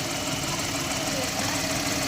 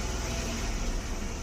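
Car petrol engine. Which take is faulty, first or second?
second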